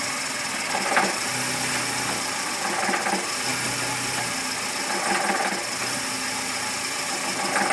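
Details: VW Gol G5 bought new in 2010, engine noise since purchase that has worsened: faint tick and rustling noise returning about every two seconds; source not pinned down.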